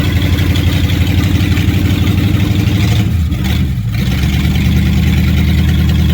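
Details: 1957 Chevy hardtop (LT1 Roadmaster conversion project) during warm-up; low uneven idle with lumpy pulses about four per second and a stumble midway — rough running, cause suspected, not confirmed.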